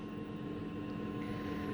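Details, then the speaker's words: Diesel heater newly installed in a 1990 Elddis Autoquest 270 motorhome, first test run, turned up high then switched off: fan keeps whirring with no combustion roar, normal purge and cool-down run-on. "well that's weird i don't appear to be able to turn it off it's still hammering away um yeah maybe it's just on some wind down setting"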